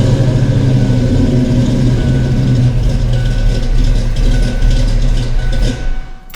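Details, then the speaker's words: Foxbody Ford 5.0 Mustang with Kenne Bell 2.1L supercharger and 42-lb injectors, second start attempt: lumpy, stumbling, loping idle under throttle blips, cylinders 2 and 4 cold so running on six; misfire from crossed spark plug wires. "So, upon further investigation, cylinder 4 and cylinder 2 are cold. 1 and 3 are hot, and 5 through 8 are warm. I don't know, maybe I'm just running on 6 cylinder"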